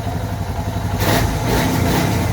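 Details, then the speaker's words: Suzuki DR650 single thumps evenly and picks up cleanly on a throttle blip after a K&N air filter, UNI secondary filter, oil, plugs and new carburetor choke; no missing and no stock-filter popping or backfiring. Running fine. "Sounds like we're running pretty decent."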